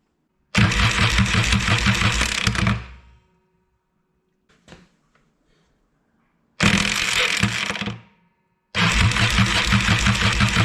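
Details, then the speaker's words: Yamaha XS650 with side cover and clutch removed, cranking: three bursts of harsh, raspy starter cranking with gear clatter as the starter pinion moves in and out, nearly letting go, suspected weak friction clip; grinding starter. "this gear here which is the number four pinion gear that i'm moving now that is either not engaging or not staying engaged as it cranks so you can see as it's cranking it's moving in and out and it's nearly letting go every time"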